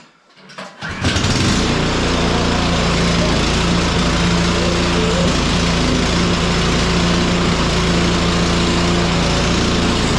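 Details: Cub Cadet 1X snow blower that would not start after storage with undrained gas, now running on fresh gasoline; catches after a second, then settles into an even steady chug with no misses or surging; normal running.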